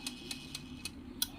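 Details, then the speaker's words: Capriole 5000 W AVR under repair after burnt transistors and a damaged servo motor: sharp, light relay clicks about four times a second over a quiet hum as the relay switches out at the low-voltage end of the arm's travel. "Ay magki-click na din yung relay natin. Relay yung pinaka switch ano ba talaga."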